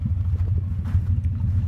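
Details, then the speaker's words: 1989 Chevrolet S10 Tahoe test drive after installing a new 700R-4 automatic transmission: steady low drivetrain rumble, no whine, clunk or slipping; the awful noise of the original transmission, thought damaged inside the case, is gone. "the most tremendous thing of all I got rid of the noise finally so whatever went wrong with the original transmission"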